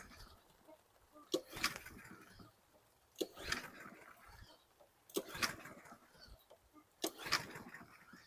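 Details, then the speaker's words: 2016 Husqvarna LC 221AH AWD mower, 725EXI 163cc engine, water on the plug, carb cleaner sprayed into the intake: four rope pulls, each a brief rasp with no firing. Cranks but won't start; suspected waterlogged, needing a carb clean and the cylinder aired out. "it just might be really water logged it's going to need a carb clean and air out the cylinder probably"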